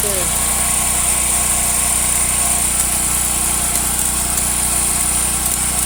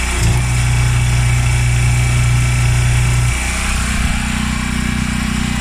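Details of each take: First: Washer with the motor running on agitate: it hums steadily with a thin whine, but no agitation or spin follows because the motor-to-transmission coupling is broken and needs replacing. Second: Washer with a grinding noise, on diagnostic run with the hose connected: a steady low hum with a slight shift as water flows. Water comes out of both inlets, so both fill valves open normally.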